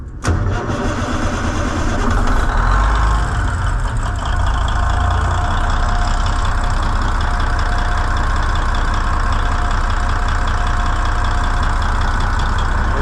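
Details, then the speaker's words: N14 Cummins diesel with a new ECM, after the manifold pressure sensor circuit was checked and no codes remain: a quick crank, fires at once into a deep, steady idle with no misses or knocks; a normal start and idle. "that's all she needs is just a little love and she'll run somebody that actually knows what the hell they're doing"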